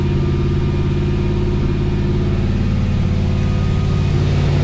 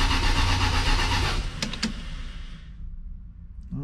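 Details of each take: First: 1979 Lil Red Express truck just started after six months of winter storage, warming up at the storage unit: steady, even V8 idle with smooth low rumble, no knocks or misses; healthy warm-up idle. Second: 1979 Lil Red Express truck, first start attempt after six months of winter storage, 15-year-old Interstate battery, about 55°F: sluggish cranking at about four turns a second that never catches, then stops; slow cranking while building oil pressure, tank under half full.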